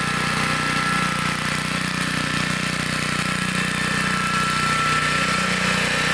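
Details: 1960s Bolens Lawn Keeper 28-inch riding mower, cutting deck raised: even, steady engine beat holding speed while cutting grass, no stumbles or rattles; running healthy.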